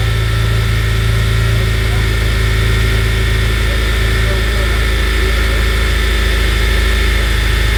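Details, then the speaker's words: 2011 8th-gen Honda Civic Si after crank pulley replacement (36 ft-lb plus 90°, belt refitted): smooth even idle, steady low hum, no ticking; earlier clock/knocking sound gone, quieter. Normal idle. "It's spinning a lot more smoother, and that sound that we was hearing, that clock, you don't hear it no more. So it sounds more cleaner, right?"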